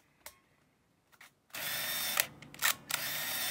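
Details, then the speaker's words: 1983 Mamiya M Time Memory 35mm autofocus film camera, rewind switch held down: silence, then high thin motor whir in bursts with brief clicky dips; sound changes when rewind finishes; normal motorized film rewind. "그리고 리와인드 다 끝나면 소리가 조금 달라져요 그러면 어 이게 되는거고"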